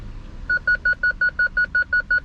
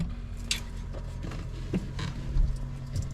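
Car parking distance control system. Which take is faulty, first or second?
second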